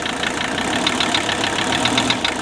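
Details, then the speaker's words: 1981 Mercedes 300TD OM617 diesel raised slightly off idle during injector-by-injector isolation test: hard regular knock above normal clatter following engine speed, still present; no single cylinder isolated, so bad injector unconfirmed. "Now, knock still there. If you are successful at isolating the knock to one cylinder, that usually means you got a bad fuel injector."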